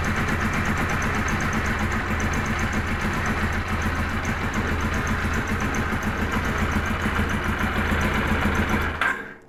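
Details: Cold Kawasaki KZ1000 police bike, choke off: lumpy, uneven idle with a buzzy vibrating rattle on the left, then it shuts off. Compression 145–160 psi, charging 13.8–14.2 V; owner cannot find the cause of the rough running.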